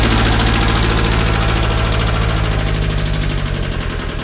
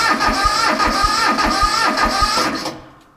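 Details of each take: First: 1978 Bolens diesel tractor, cold at about 32°F, 15 s glow plugs, started on KeenPower super capacitor jump starter: steady even chugging ~3–4 beats/s once fired, then clean shutoff; healthy cold start. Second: 1978 Bolens diesel tractor, cold-soaked at 32°F, fuel off, cranked on its battery alone: slow labored cranking about three compression beats/s with starter whir, then silence; voltage dropped below 10 V, starter turning over too slowly.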